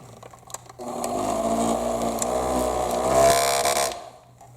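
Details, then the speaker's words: Thumper Mini Pro 2 massager after disassembly, cleaning and lubrication: loud buzzing rattle over the motor's fast hum throughout; cover loose, possibly not seated properly, pins missing. "It's just rattling over there. Maybe it's not seated properly."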